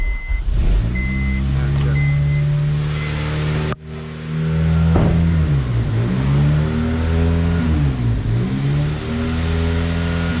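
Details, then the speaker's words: 2002 Honda Civic EP3 hatchback, battery weak, needing a jump: idle climbs and sags every couple of seconds in a high-low hunting surge; owner cleans the throttle body and the idle air control valve. "because the car has a high and low surge when it idles I'll try to start it up for it so you hear it"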